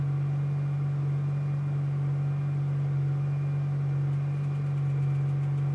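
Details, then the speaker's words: 2005 6.0 Powerstroke diesel, hard cold start after about five hours plugged in (breaker blew) and a battery charge; once started it settles into a smooth, steady idle, constant low drone, no stumbling or knocking, normal idle. "Started. Fucking rough. There. Running perfect now. All she needed was a little extra juice."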